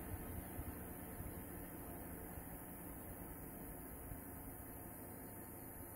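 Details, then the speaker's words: Space heater run through an AC voltage regulator (sine wave chopper), power cut from about 1100 W to 900 W: fan rush slows while the regulator emits a faint electrical buzz; voltage regulator buzz. "so now i will start twisting the knob as you can hear uh buzzing sounds started from this little gadget and the fan is spinning slower and power consumption went down to 900 watts"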